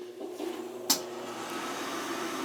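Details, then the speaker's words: Field power venter after its motor bearings were oiled, previously squealing and running for over a day: small fan hums up to a steady run after a click with no squeal; the motor assembly will need replacing if squealing returns. "okay so that started up pretty good there right yep it hasn't I did oil it good"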